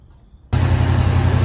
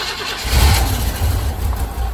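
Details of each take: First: 1985 Chevy C10 with gunked cooling system and a sticking thermostat, started and run during a Prestone flush to heat up: it catches and settles into a steady even low rumble with no knocks or misses; healthy idle. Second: 1985 C10 V8 with a Quadrajet carburetor, unstarted for one to two weeks, during cooling system and thermostat repairs. Low, uneven cranking drone for several seconds before it catches; long crank expected because the Quadrajet leaks down.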